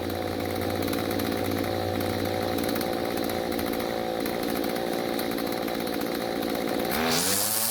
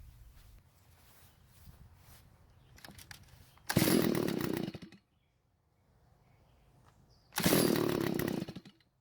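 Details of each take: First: Stihl two-stroke string trimmer after carburetor tuning (L screw about half turn clockwise, H screw quarter turn counterclockwise, limiters removed): steady high, even buzz, then clean rev-up near the end; carburetor setting sounds about right. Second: Garage-sale Stihl two-stroke trimmer, primer bulb finally filled: starts and idles but dies when the trigger is squeezed, two short buzzing bursts collapsing within a second; owner suspects lean carburetor, possibly a clogged spark arrestor screen.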